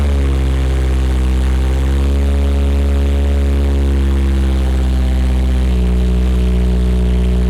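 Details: Honda 8th-gen Civic with swapped K20R engine and Magnaflow exhaust, just after first fire-up on a jumpered battery: strong, even low hum with steady beat, no misses or knocks, settling into a smooth normal idle; a little smoke noted.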